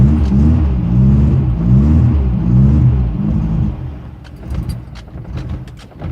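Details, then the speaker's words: 1974 Porsche 914, 1.7L air-cooled Type 4 with dual Dell'Orto DRLA carbs and no choke, first cold start at about -15°C in snow, after priming: the engine catches into a deep, slightly lumpy pulsing idle. A healthy cold start. "Oh starts and that's no joke this"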